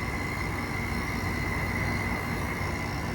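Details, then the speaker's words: Window air conditioner: steady rough rumble under a constant thin tone, running evenly; fan motor bearing growling despite oiling. "earing to start somewhat growl, but it still runs, but it's just as usual, still it just has that noise to it."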